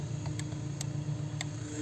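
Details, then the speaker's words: 2010 Honda Accord, no door locks working: sharp relay clicks from under the dash (MICU body module working) with no lock motor following; driver door lock actuator at fault, replaced. "so looks like the micu which is the computer i think the body module or something like that but basically controls everything about the door locks it's working the relay is clicking"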